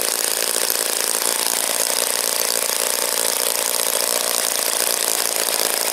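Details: OS Wankel rotary on 5% Omega fuel with extra castor and a 10x4 APC prop, running after cooling from overheating: steady, high buzzing idle with no misses or surging, idling cleanly.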